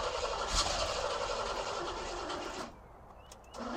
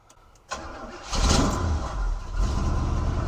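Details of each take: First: 1971 Cutlass Supreme SX 455 V8 that sat for years, fuel poured down the carburetor: cranks in bursts, catches unevenly and stumbles, revs surge and sag; rough first start. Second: 1971 Cutlass Supreme SX with the 455 V8, which had sat for years, after a new battery, spark plug wires, battery cable and oil-leak fix: starter catch, then a steady, even idle; passenger tailpipe smoking. Normal start and idle.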